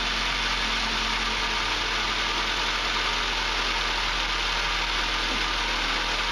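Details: 2006 Ford Focus at startup idle: steady, coarse grumbling growl with no clear knock, blamed on worn motor mounts, which were replaced; owner notes the growl lessens once the engine warms up.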